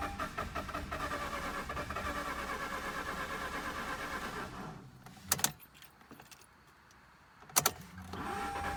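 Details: Mazda RX-8 rotary: uneven starter churning about four seconds with no catch, then silence and clicks, crank no-start; owner suspects low compression, helped when some oil gets in.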